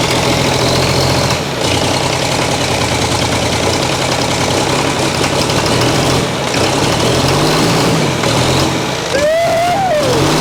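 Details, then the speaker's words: Chrysler-badged Mitsubishi 6DS70 six-cylinder marine diesel, first run after years stored: uneven, wavering clatter at fast idle. Rough running from air in injector lines; the plan is to re-bleed all injectors. "yeah they were to crack all the injectors loose again try to re-bleed all the injectors a little bit better"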